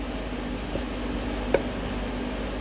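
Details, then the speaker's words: 2005 Chevy Tahoe with P0449 code: new EVAP vent solenoid clicks sharply once over a low hum when energized, drawing about 590 mA; old dirty unit wouldn't activate, new one works normally. "so 059 amps so 500 milliamps 590 milliamps about so not quite 1 amp so this is a working unit you can hear before the other one wouldn't even do it"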